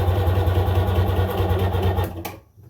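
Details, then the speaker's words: 1996 Sea-Doo GTI rebuilt engine at first start attempt, fresh fuel lines needing priming: heavy, labored slow cranking for two seconds without firing; battery sounds weak and the pump's new wear ring likely adds drag. "battery sounds weak but that pump is probably struggling because it's a new wear ring"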